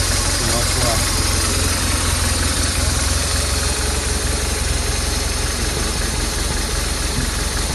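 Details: BMW R 1200R boxer, cold start after timing chain tensioner replacement (old tensioner piston suspected loose, not working): steady, even idle with a smooth low thrum and no ticking or rattle; engine sounds healthy.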